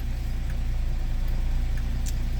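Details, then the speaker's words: 1981 Datsun 280ZX non-turbo manual, cold start with new fuel pump, given full fuel; starts better but idles with a steady low drone and slightly uneven pulses, still running a little lean when cold. Owner has not found the cause. "so let me give it all the fuel it wants and as you can see it starts up better still not perfect I'm still running a little too lean"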